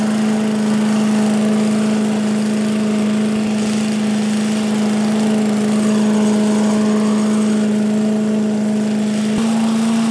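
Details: 1985 Billy Goat leaf blower, Briggs & Stratton 8 HP, after new spark plug, oil change, air filter and replacement gas tank: steady even drone at one speed, no misses or knocks, smooth and strong; normal running.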